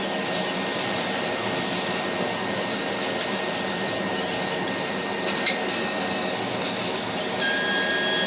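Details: Laser cutter tube whistle: a thin steady high whistle over the cutting hiss. It appeared after about six months of use, at the nozzle exit. Current rose 12→13 mA during the whistle.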